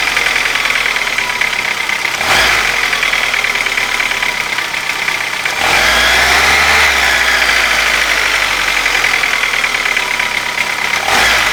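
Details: Light fast tapping over a hissy, busy warm-idle engine note, steady; appeared after hydraulic lifter replacement, absent when cold, source unknown.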